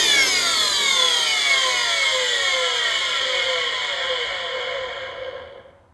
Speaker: so they ran this thing until the bearings completely utterly shot I mean nothing left of the bearings